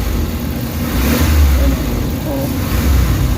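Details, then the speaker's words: Suzuki Carry after XADO treatment: at 50% pedal it reaches about 2,500 rpm and the engine climbs cleanly, then recovers without hesitation, stumble, knock or the earlier shaking; normal rev response. "yung response niya 'yung galit niya nasa ano na ah ph,500 galit na siya. Ayan oh pag 50% mo nasa ano na yan 2,500 rpm na 'yan."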